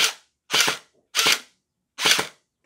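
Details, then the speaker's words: Splatrball gel blaster after all-metal gear upgrade, on full auto while motor screw is adjusted (faster pushed in, slower pulled away): sharp, even cracks about every 0.7 s, crisp cycling, no grinding; healthy firing. "you can hear the motor sound changes as you adjust the screw. I can hear a sound like it slows down when I pull the motor away and speeds up when I push it in, so I suspect it's better when it's pushed in further."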